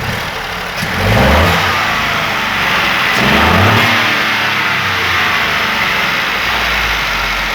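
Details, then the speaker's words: Ford Ka with 1.0 three-cylinder engine, after repair of a second-cylinder problem, timing synced with a tool, expansion tank replaced: revs up cleanly twice and settles back smoothly, no tapping or rattle; running like clockwork. "pro corte funcionando igual relóginho"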